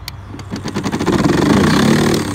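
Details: HART 40-volt brushless 20-inch self-propelled mower (HLPM021): drive motor spins up to a steady whir without engaging; plastic drive engagement handle fails to pull steel cable into engagement, motor clicking, no forward drive.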